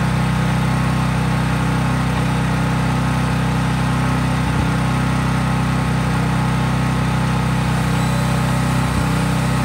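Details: Craftsman 5000-watt portable generator running outdoors at full governed speed after a cold start, with only an LED bulb plugged in, so no load: a steady, even drone with no surging or misses. Normal, healthy no-load running.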